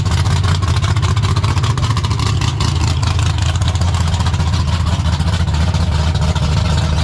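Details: 1972 AMC Javelin, AMC 401 bored and stroked to 431 with aluminum rods and stroker crank, built 1996 and first run only the day before: deep, loud, steady V8 lope with no knocks or misses; normal idle.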